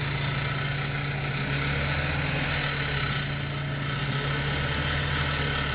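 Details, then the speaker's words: 2007 BMW 525i at idle with a constant loose, metallic rattle like BBs bouncing, heard from the exhaust; heat shields and belt tensioner ruled out, exhaust butterfly valve clip suspected but unconfirmed; exhaust rattle at idle. "I've had my ear right up to the exhaust while it was running and it just sounds like bb's bouncing around and here's what it sounds like"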